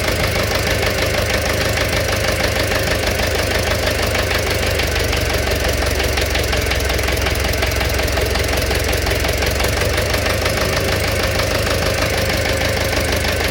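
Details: Engine knock at idle: a quick, fairly even tapping of roughly three per second from inside the engine rides over it; cause undetermined.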